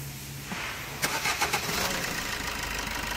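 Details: Maruti Suzuki Swift petrol engine after fuel filter body with built-in fuel temperature sensor replaced, cured knocking: cranks briefly, catches cleanly, even idle with no knocking.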